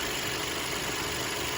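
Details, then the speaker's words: 2018 Audi A4 2.0-litre petrol idling smoothly with a steady, even hum and no misses. The previous subtle rough idle was fixed by replacing the wrong dealer-fitted spark plugs with the correct ones matched by VIN. "it's pretty smooth now two liter yeah you know what the dealer put the wrong spark plugs in"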